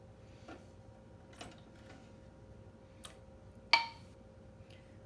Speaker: Oh, you can hear the pinging. That means they're starting to seal. Now it is completely normal for pressure canned food to ping multiple times.